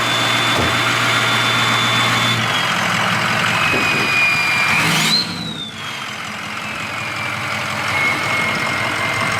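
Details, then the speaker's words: Inherited family Ford Powerstroke diesel truck at idle. A steady idle with a high jet-like turbo whistle that holds and drifts gently, as remembered: normal, healthy turbo. "let it run for a little while just like i remembered same noise sounds like a jet yeah it sure does reminds me of our rds turbo it does"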